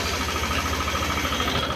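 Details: Yamaha Aerox 155 started after work on the timing chain adjuster to check the noise, air filter box not fitted: a fast, even clattering rattle over the exhaust beat at idle; the timing chain adjuster is suspected, not confirmed.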